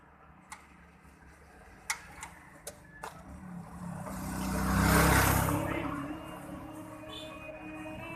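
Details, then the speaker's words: Car left sitting for a month won't start: a handful of sharp, uneven single clicks over three seconds with no cranking; not enough power to turn the starter, battery suspected low and needing a charge. "There's no power? Well, you don't have enough power to start your So probably you need to charge up the battery."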